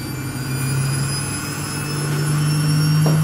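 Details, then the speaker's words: Samsung washing machine that showed error 3C, after repair, spin test mode: even motor drone rising through 400, 800, 1200 rpm steps with no grinding or clunks; runs normally. "rồi rồi xong lên 400 rồi lên 800 mạch điện sẽ kiểm tra từng cái bước tốc độ của"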